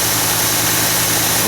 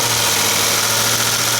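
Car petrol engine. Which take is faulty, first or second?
second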